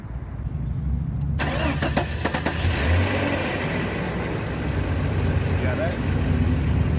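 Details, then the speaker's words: 1989 Jeep Comanche Eliminator, 4.0L, AW4 automatic, on a new EverStart Max battery: brisk starter whirr about a second, then fires into steady idle; cranks much faster than before. "I cranked over way faster like I'm I'm pretty sure these 4.0s really should have 800 code cranking amps that was nice"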